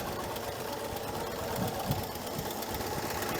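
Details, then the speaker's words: 1968 GMC C1500 V8 restarted after 17 years, idling about an hour, burning oil with white smoke; fast steady lifter clatter from the middle cylinders, which had fouled center spark plugs, plus raspy puffing exhaust leaks. "I can hear that clattering of the lifters right in the middle cylinders"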